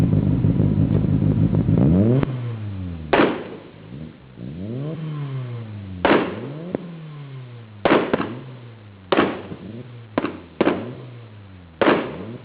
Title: 600bhp Evo 8 MR anti lag/ misfire 2